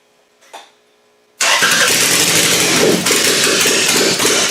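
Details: Car with a newly fitted GM distributor catches after a short pause and runs loud and ragged with an uneven beat. It is rough running with ignition timing still unset; the owner plans to adjust ignition and cam timing.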